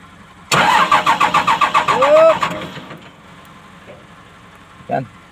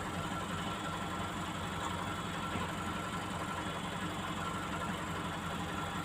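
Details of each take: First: Komatsu PC200-8N1 excavator diesel cranking: about seven rapid starter pulses a second for nearly two seconds, then fades without catching; hard starting caused by a leaking fuel relief valve on the common rail. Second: Komatsu PC200-8N1 excavator diesel, hard starting caused by leaking fuel relief valve on damaged common rail: even settled idle, steady low rumble, no misses, knocks or hunting; idling normally.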